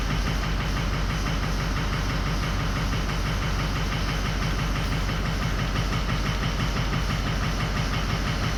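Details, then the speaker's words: 2004 Ford 6.0L Powerstroke at idle, after a couple more minutes of running; lumpy, uneven diesel idle with a loping beat of about two per second as cylinder 5 drops out. Cylinders 1, 3, 5 and 7, the whole odd bank (bank 1), are now out. "now it's getting worse. Now 5's starting to drop out now. So we pretty much got 1, 7, 3, and 5 all dropped out."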